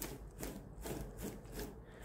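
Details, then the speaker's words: Kia Stinger with under 22,000 km, electric steering rack: rough gritty rubbing in bursts about twice a second as the rack turns; suspected from the rack ball bearing. "te łożyska jakby nie za bardzo Huczy bardziej ten dźwięk wydobywa się tutaj że z tego łożyska ale to dopiero się okaże"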